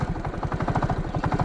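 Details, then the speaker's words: Motorcycle stopped on a climb after crossing the mountains: a steady hard low pulsing with a hollow echoing rattle over the engine, heard since the climb; owner says the sound is not normal, cause unknown. "La Paloma tiene un sonido en el motor que ya vengo sintiendo desde que subimos la cordillera."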